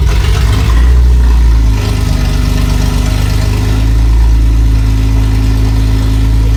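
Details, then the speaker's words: Freshly built BMW E30 after O2 sensor and X-pipe install, first crank with relay jumped: deep, even drone with good compression, no misses or knocks; runs briefly, fuel delivery problem still to sort. "It's got compression. You can hear it. It's got a nice deep tone to it."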